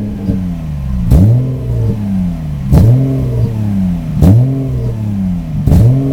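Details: Subaru EG33 swapped into 1994 Impreza, intermittent power loss cold or warm, no check-engine light: revs drop and stumble when pedal is pressed at about half throttle, rise only when released; misfiring, bogging.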